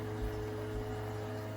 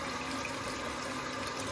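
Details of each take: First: Toto toilet with Korky fill valve; steady, deep droning moan with held tones while the tank fills, valve resonating; fill valve groaning, fixed by greasing the valve with plumbing grease. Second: Toto toilet with Korky fill valve after fix (valve greased with plumbing grease and cover refitted), tank refilling: steady hiss with no groan or deep resonant tone; valve now quiet and smooth.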